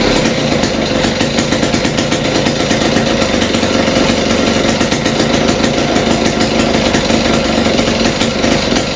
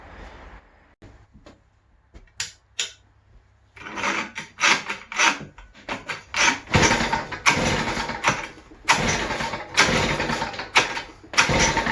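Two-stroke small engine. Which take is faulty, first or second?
second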